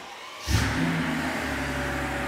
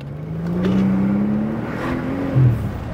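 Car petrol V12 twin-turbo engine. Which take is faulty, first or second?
second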